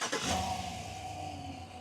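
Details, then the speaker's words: After new alternator fitted (old one had failed one-way clutch pulley, some bearing noise and erratic voltage): engine starts, smooth quiet idle and clean shutdown, no squeal or rattle from front pulleys. "Go ahead and shut it up. Nice and quiet. Do it one more time, so you guys can hear. Go ahead. Nice and quiet, and it's actually quieter now."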